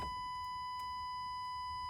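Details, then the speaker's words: Old Jeep or Chevy Z71 pickup with old weak battery, before jump-starting: key on gives only a steady high-pitched warning beep, no starter click or cranking; no crank due to dead battery. "oh no crank but an annoying beep"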